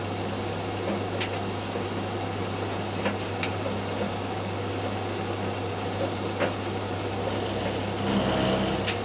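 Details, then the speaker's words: Tumble dryer running after an engineer refitted a bearing: steady low hum with a deep drum rumble and a few sharp ticks. The rumbling noise persists; fault not fixed, cause unclear. "I'm now going to turn it on and you can still hear the problem. Will take a while. can hear a rumbling noise."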